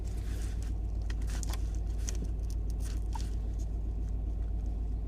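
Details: Mini R55 JCW with codes P0301 and P0303: rough, lumpy idle with an uneven low thump, misfire ultimately traced to a failing high-pressure fuel pump.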